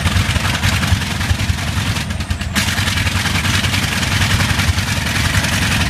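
Big radial drones in a deep steady rumble with uneven beats breaking the rhythm, a slight misfire under the clatter.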